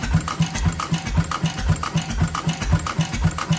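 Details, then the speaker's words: 6 hp International Mogul on its first run, on the gasoline bowl, no muffler, no cooling water, crankcase covers just tightened: even, loud unmuffled thumps about two per second, breathing through the crankcase breather, no knocks; compression improving, normal running. "I just tightened up the two crankcase covers which you hear it breathing through that crankcase breather in the back I haven't taken that apart yet uh but I assume it's doing this job by the sound"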